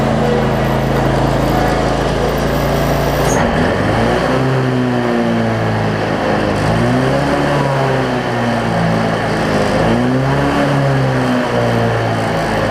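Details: Cub Cadet zero-turn mower, Briggs V-twin, after repairs including a part that had wiggled loose over time: runs steadily but speed rises and falls slightly every few seconds, mild governor hunting ("doing a little dance"); considered fixed.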